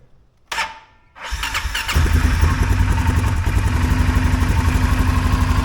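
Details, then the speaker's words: 2023 Polaris Sportsman 570 ATV after fixing high idle (was near 2000 rpm, harness and throttle position sensor reworked): short starter whir, then a steady, even idle around 1350–1400 rpm with no hunting, not running away when shifted into gear. "Okay, 1350, 1400 is where we want. You can see I can shift it and it's not gonna, doesn't run away on you when you put it in the gear. That's right with the RPMs that you want."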